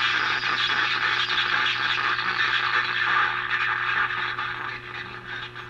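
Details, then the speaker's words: Emerson R167 tube radio after output transformer repair: local station plays thin and harsh with crackly midrange rasp; speaker works but output badly distorted from other faults, tube testing planned next. "so again you can hear the radio playing here on one of the local stations we got that crazy Distortion but again we've got something and the speaker is definitely working"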